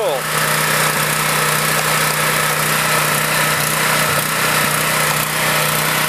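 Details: Generator that sat unused for a few years, started and run after fresh gasoline was added and the spark plug refitted, with choke, first pull. Steady, even engine drone with a firm low hum, no misses, surges or knocks; runs like new.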